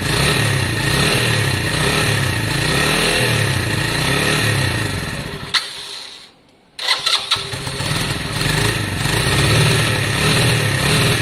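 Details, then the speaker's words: Lexmoto Valiant single-cylinder motorcycle after up-jetting, choke off; pulls strongly and evenly, cuts out briefly, then restarts and runs steady and crisp, sounding much better than before: normal running. "wow that sounds so much better with that upgrading um so much better actually guys that's choke off which means it didn't need it as well which is a good sign"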